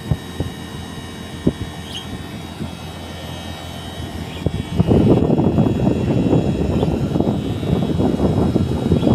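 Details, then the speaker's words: Daikin single-system condenser after LC-2 error, mouse-shorted burnt inverter PCB; main and inverter PCBs replaced: steady hum then smooth fan and compressor rush ramping up and holding evenly; test run back to normal. "Now, we dismantle old PCB board and replaced new main PCB and inverter PCB. After that test run system back to normal."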